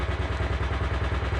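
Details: Motorcycle idling after first-time valve adjustment, clearance possibly still a fraction high, following a flooded kick start: steady, even low thump with no tapping on top; valvetrain sounds quiet and healthy.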